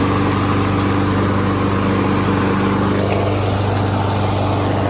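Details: Honda HRN216VKA lawn mower running on TruFuel until it runs dry for winterizing: a steady, even drone at constant speed with no surging, knocking or misfires, so the engine is running normally.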